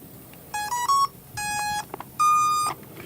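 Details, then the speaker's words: Newly built Box Quad quadcopter before its first flight, battery just plugged in: three quick rising beeps, then a long low tone and a longer higher tone. This is the normal ESC startup sequence and shows everything is in good shape. "that's the sound we normally get from the ESC. Everything says it's in good shape."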